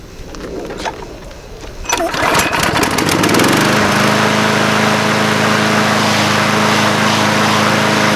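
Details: Craftsman 22" mower with Briggs & Stratton 190cc Platinum engine, after fixing lean running at the carburetor: a few pulls, then catches and settles into a steady, even run with no surging or hunting; normal running.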